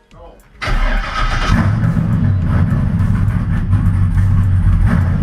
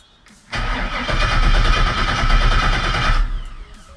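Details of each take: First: H8RDCPTR after an accident, with a new fuel pump and a newly hooked-up fuel system: short crank, the engine catches at once and settles into a steady, even idle with no misses or knocks; it runs fine, though a small fuel leak was found afterwards. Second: 1966 Chevrolet C10, post-accident rebuild, temporary fuel source, key on: starter spins the engine steadily about three seconds but it never fires. Old fuel pump not pumping, so it is replaced with a new one.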